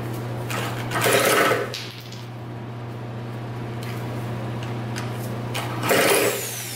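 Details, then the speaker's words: 2000 Cobra 50cc two-stroke racing mini dirt bike spun over with a drill: steady whine turning over repeatedly, never catches or fires; cranks but won't start. Owner suspects the bad-looking air filter and plans to pour fuel down the carburetor. "all right yeah it didn't start up but I'm guessing that this air filter is not the greatest it looks pretty bad"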